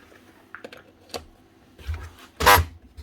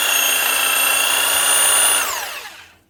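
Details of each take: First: Corded 240 V DeWalt DW331 Type 2 jigsaw, 2018: short harsh buzzing hum when switched on but the motor never runs up; likely seized or jammed rather than burnt out. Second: DeWalt DW331 Type 2 corded 240 V jigsaw, previously jammed, humming but not turning, after repair: smooth even high motor whine at full speed, then clean spin-down; pendulum roller working; runs normally.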